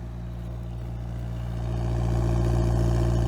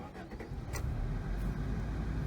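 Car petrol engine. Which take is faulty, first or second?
first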